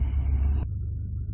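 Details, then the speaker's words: 2015 Hyundai Veloster with 7-speed DCT, idling in neutral and in D1: deep, uneven shaking judder, not an engine misfire, caused by side-to-side play in the flywheel; the flywheel/disc assembly was replaced. "요런 증상인데 dct 미션이 적용이 되다 보니까 플라이휠 휠에서 좌우로 유격이 생기면 이런 증상이 발생을 하는 거예요"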